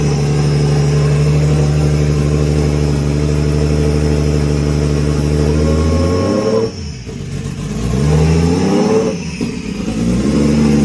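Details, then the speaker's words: Scion FR-S with a 1JZ-GTE VVTi swap on first start: a steady fast idle sags and climbs back twice within seconds, so the revs hunt. The bad idle control valve stays open and cannot be controlled. "There's no way that we could control it, you know. That's why you guys saw that, you know, the car wanted to go up and down, you know, RPM up and down."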